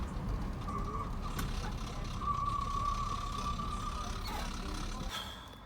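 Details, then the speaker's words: Ford Courier on jacks, engine running in gear at speed: steady mid-high whine holds its pitch over engine and road rumble; owner says the noise comes from the gearbox, not confirmed. "But now at least we can hear the noise. And you guys already heard the noise. Now we're going to try and find it. [Music] That shit's coming from the gearbox."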